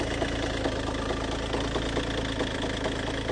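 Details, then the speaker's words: Peugeot 308 idling, starts fine with no engine fault codes, mic held close: steady, uneven knocking a little over twice a second, not timing or accessory belt, from a worn dual-mass flywheel. "Déjà à savoir qu'elle démarre parfaitement bien et sans défaut moteur. Je pense que déjà tu arrives à entendre un petit bruit. Je vais approcher mon micro mais ça tape quand même pas mal."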